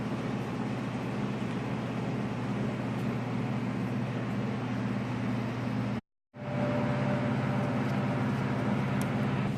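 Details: Snowblower small engine idling with an uneven, lumpy beat that wavers instead of holding steady, with one brief cut-out: a rough idle.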